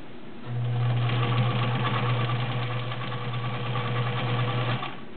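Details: Vintage White Model 764 all-steel sewing machine, 1.3 amp motor, sewing 12 layers of cotton: smooth, even low hum, steady balanced stitch rhythm, very quiet, no knocks or binding; normal running under load.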